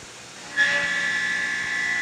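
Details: Tormach CNC mill with a carbide endmill cutting 4140 steel for a punch stripper plate: a steady, clean high tone as the cutter bites and holds evenly, no ringing or chatter; normal milling cut.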